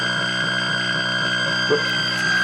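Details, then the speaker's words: Atari Centipede cocktail arcade cabinet, reassembled and powered on in non-test mode with monitor out: loud constant high-pitched alarm tone over the game's beeps and music, absent in switch test mode; caused by a shorted slam switch. "You can hear the game playing, but it is making an awful noise."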